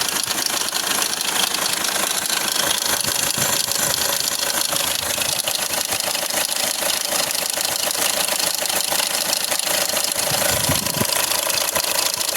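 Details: 2010–2016 Hyundai Accent CRDi diesel idle with a fast, fairly even metallic clatter about three per second; loose timing chain suspected as a common problem, unconfirmed.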